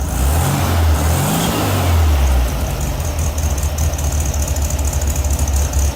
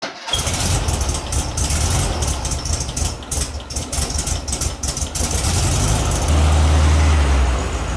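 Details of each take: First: VW Beetle 1600 air-cooled flat-four, previously misfiring, restarted after pulling the spark plug wires one by one: the revs blip, then it settles into a steady, even low idle that sounds better. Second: VW Beetle 1600 air-cooled flat-four at idle: lumpy, stumbling, uneven beat instead of a smooth sewing-machine patter; suspected misfire, checked by pulling spark wires one by one; sounded better after restart.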